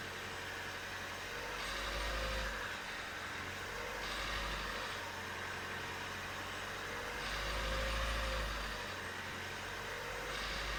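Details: Renault Mégane II phase 2 1.5 dCi 85 diesel, 150,000 km, revs swelling and easing between 1500 and 2000 rpm with a metallic rattle riding on top; source not yet identified.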